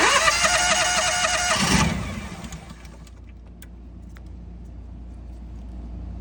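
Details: National 5625 LP-fuelled unit with intermittent no-start, seat switch bypassed, new oil pressure switch, no constant 12 V at fuel lock in run; engine catches, runs about 1.5 seconds then dies; owner suspects sticking solenoid; engine fires then dies.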